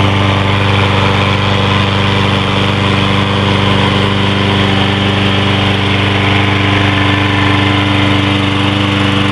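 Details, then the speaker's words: Troy-Bilt 21-inch push mower with 6.75 HP 190cc Briggs & Stratton engine, ready-start with no choke or primer, started first pull: steady, even single-cylinder putter at constant speed with no misses or knocks; normal running. "so here we go with the tro build there we go that's good first time sounds good"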